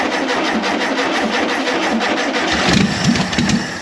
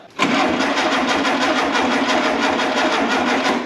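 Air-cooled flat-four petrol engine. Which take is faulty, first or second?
second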